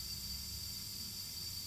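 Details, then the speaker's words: 2JZ-swapped E46 BMW M3 intake pressurized to 20 PSI in a leak test: a loud, steady hiss of air from a rapid boost leak, bleeding off the pressure. "Yeah, that one's like really hissing. Oh wow, yeah. Yeah. Listen to it now. Yeah, that's a rapid leak on that other side. Yeah. You can hear it bleeding the pressure."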